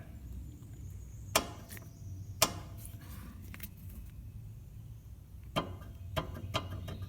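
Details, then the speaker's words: Front passenger-side sway bar end link on a 2009 Subaru Legacy, loose at its ball joint though the nut is tight: scattered, irregular sharp clunks about once a second as the car is rocked; worn sway bar end link knock. "you can see it the sway bar is loose on the end of that ball joint right there but the nut is tight and this makes the awfulest noise when you're moving the car around"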